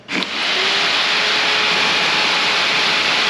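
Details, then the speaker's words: Expensive radiator fan for a 1998 Mitsubishi Eclipse GSX, powered up: jumps instantly to a loud, steady rushing whoosh with no wobble or rattle; torquey, good blade design, moves a lot of air. "so if you couldn't hear that this thing screams it's torquey it's got a great blade design and it moves a lot of cfm"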